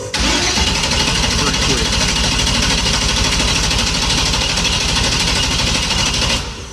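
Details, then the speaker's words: Truck with weak, recharging battery: strong, even starter cranking about six seconds with no catch or firing; it seems to get fuel but apparently no spark, so it won't start after earlier running and dying. "it seems like it's still trying to start it it's throwing fuel but it's obviously not sparking I don't think"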